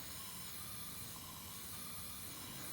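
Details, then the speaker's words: Junkyard Fiat 500 MultiAir engine on a leak-down test, cylinder at top dead center with 10 PSI on the regulator: faint steady hiss of air escaping out the exhaust port, exhaust valve not sealing. "I'm getting air out of the exhaust here. All right, you probably can hear that."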